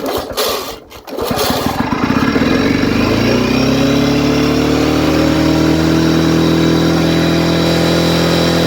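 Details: 1979 Lawn-Boy two-stroke mower, sitting 20+ years, good compression, carburetor primed with gas: a few rough pulls, then catches and climbs to a steady, even high buzz; running normally.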